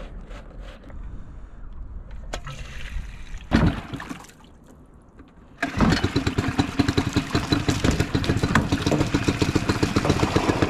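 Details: Small hard-starting outboard after cleaning and silicone spray: a few short cranks, then it catches at once and settles into a steady, even putter; starts and runs cleanly.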